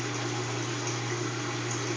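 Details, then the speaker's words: Kenmore washing machine entering spin cycle: steady motor hum with water draining, but the drum does not spin; lifting and closing the lid makes it start spinning, needed twice per wash; motor runs but drum does not spin. "it's going into the spin cycle you can hear the water draining but you hear the motor but it's not spinning"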